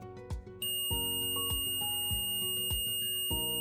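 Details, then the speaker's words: Omnipod insulin pump hazard alarm: a high, unbroken continuous tone from the Pod and/or PDM signalling that immediate attention is needed; all insulin delivery stops when it sounds (e.g., empty reservoir, Pod expired, occlusion, PDM or Pod error, auto-off). "Les alarmes de danger sont matérialisées par une tonalité continue pour vous indiquer lorsque le pod ou le PDM nécessite une attention immédiate."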